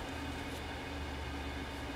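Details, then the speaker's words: Burner test with quartz tube and stainless steel pipe: steady low droning buzz with fixed tone under burner roar; pipe and quartz vibrating intensely, small piece inside vibrating in the gap; resonance suspected, unconfirmed. "I don't know the whole I mean the the stainless steel pipe and the quartz is vibrating very very intense vibration"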